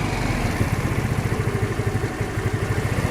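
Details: Genuine Buddy 125 scooter single-cylinder idling after a full carburetor service, with an even, steady low putter and no stumbling or hunting. Accelerator pump tested by snapping the throttle; idling cleanly.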